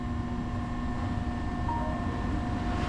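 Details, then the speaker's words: Ice Air PTAC unit tripping its breaker and not cooling: steady low electrical hum with a fixed buzz under the condenser fan, no speed pickup; compressor stuck on locked rotor far too long, intermittently. "That's the compressor drawing that. That's staying locked for way too long. How long that's staying locked?"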